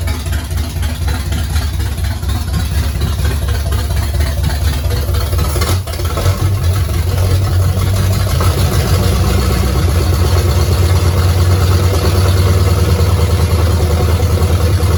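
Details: 1969 Pontiac GTO barn find, first start in 17 years, Pontiac 400 with TH400 and 750cfm carburetor, oil leak behind booster: deep loping V8 rumble, fairly even idle, no knocks or ticks; runs fine.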